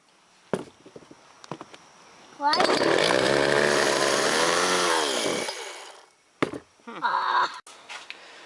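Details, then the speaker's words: Two-stroke chainsaw that won't stay running off choke; owner suspects too little gas and a carb needing blowing out, and wants fresh fuel. It buzzes up for about three seconds, then the pitch sags and it dies; cause unconfirmed. "Probably not enough gas for starters, and when I put it back in out of choke mode, it kind of dies down. So might still have to blow out the carb a little bit."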